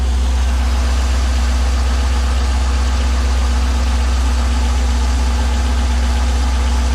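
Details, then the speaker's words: Chevrolet C5 Corvette LS1 V8 at idle, heard from inside the car, not revved (drive-by-wire): steady idle with a faint, loosely regular low-end knock two or three times a second; metal found in oil, bearings suspected, not confirmed. "seven oh now you can definitely hear it sounds [ __ ] terrible hear it in here right now"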